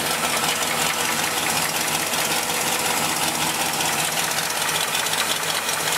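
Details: 326 V8 in a big wagon, cold idle, before removing a quart of oil and adding Mystery Oil: sharp, uneven knock about 160 per minute over clatter; suspected rod knock or ping, quieter when warm, small driver-side exhaust leak.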